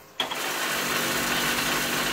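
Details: Pontiac Firebird Trans Am pop-up headlight motor with bad gear: harsh steady rasping grind for about two seconds while running, like stripped teeth; headlight motor gear grinding.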